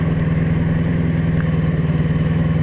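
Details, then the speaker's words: Carbureted motorcycle with a failing Chinese fuel pump: steady, fast idle staying too high. Rider thinks it isn't getting enough fuel and is running lean, though not overheating, and plans to reset the idle switch and replace the pump. "it's idling hi and that mean that it's not getting enough fuel"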